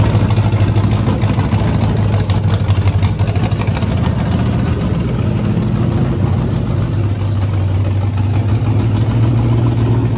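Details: Rebuilt 5.3 LS V8 with Truck Norris cam on a far too big race carburetor, first start, after replacing mismatched coils: deep, heavy, slightly lumpy uneven idle; rich running from oversized carburetor.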